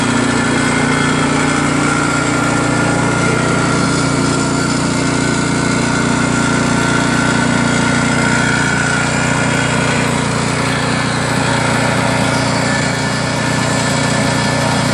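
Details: New Craftsman snowblower with Chinese PowerMore single-cylinder engine, after clogged carburetor jets and holes were cleaned: fast, even beat with no surging or misses; runs smoothly, normal running.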